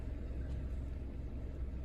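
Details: 2012 Toyota RAV4 four-cylinder just after alternator replacement and belt refit: smooth, low, steady idle just after start-up with no squeal, knock or chirp from the belt; charging normally with no battery light.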